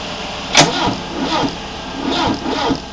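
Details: Mi16 engine: a click, then slow, even cranking pulses about twice a second that never catch; engine turns over but won't start.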